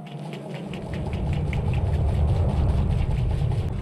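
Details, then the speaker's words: Steam Jenny 200 Plus diesel-powered steam cleaner, pump run after a clogged nozzle was found: steady low drone with even pump pulse about three beats a second, no stumbling or surging; pump running normally, flushing brown water. "pump seems a lot happier I'm going to let it flow a little bit and clear out any dunk that might be in the line here"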